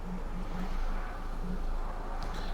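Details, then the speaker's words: 2002 Ford Focus 1.4 petrol running really badly with P0304 cylinder 4 misfire and P0420 catalyst efficiency codes: rough uneven idle with irregular stumbles about every half second; misfire. "we have a 2002 Ford Focus kind of there uh which is running really badly uh we've got two fault codes we've got a Miss fire and cylinder 4 and we've got a catalyst insufficiency um problem"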